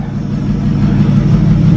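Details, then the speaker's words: 1937 Talbot saloon 3.2-litre six-cylinder, first run since 1976 with fuel system temporarily bypassed: steady low note with throttle blips, smooth even firing; runs a little smoky, oil pressure about 50 with revs, 40 at idle. "so she runs a little smoky as you'd expect"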